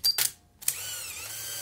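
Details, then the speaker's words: Fujica Auto 7 camera after repair (corroded capacitor and traces fixed, water ingress suspected), reassembled: short clicks then steady high whir as film advance motor winds cleanly and stops, healthy. "some life happening in there that was not happening when I first bought it it sort of groaned and carried on"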